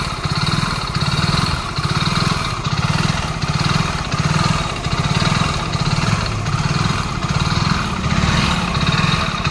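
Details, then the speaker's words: BS6 single-cylinder bike engine at 47,500 km, in for engine work: runs rough with a dull, uneven knock and a surging beat a bit faster than once a second; scored cylinder bore. "இது வண்டியோட போரில் scoring வந்துச்சு."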